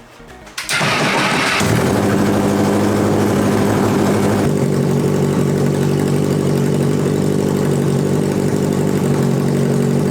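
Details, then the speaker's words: Homemade Formula 1-style cart engine on a new custom fuel system: catches within a second after the fuel pump primes, then warms up at a loud, even idle with a steady beat about four times a second, running clean. "I never thought I would get so much pleasure from just sitting here watching this thing warm up."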